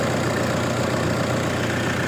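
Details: Toyota Innova diesel with an added turbo and intercooler, remapped, and an automatic transmission upgraded with Go-Trans: a steady, even idle with a smooth low rumble and no knocks or misses. Normal, healthy idle.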